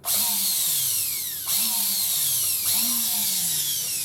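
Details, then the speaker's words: Makita sander after a full strip-down, clean and bearing oiling, test-run without the fan wheel or sanding gear fitted: a smooth, high, steady whine running faster than when assembled. Normal, free-running motor after the service. "Yeah, that sounds sweet enough. Obviously it's a lot faster than what it will sound when it's finished. But now it hasn't got the sanding equipment on it."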